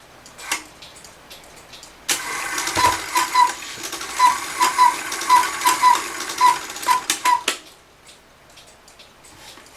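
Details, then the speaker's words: Circa-1900 Rail Road Quail cuckoo clock that stopped cuckooing: the movement whirs about five seconds with fast irregular ticking or popping, but no cuckoo follows. The cuckoo-side lever triggered but didn't come up fully and stuck, which the repairer calls a timing issue. "Now you see this didn't come up all the way, it was stuck in there, so that's what my ticking was, we'll say, or popping noise."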